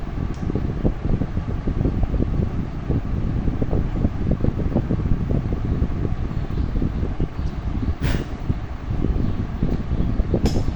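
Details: Old rusted sewing machine after restoration and oiling runs with a fast, even clatter, no harsh squeak or knock.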